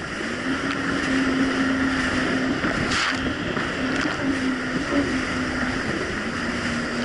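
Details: 2007 Yamaha VX Cruiser jet ski on choppy Lake Michigan after new spark plugs gapped to .028 replaced mis-gapped old plugs: steady engine hum holding one pitch under wind and water rush, no surging or dips; runs smoothly.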